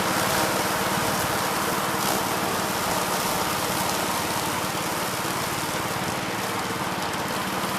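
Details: 1969 Gravely C8 walk-behind tractor after repair of no-high-range fault (drove only in low range, stop-and-go in high); morning start-up, single-cylinder runs at steady even patter, no misses or surges; running normally.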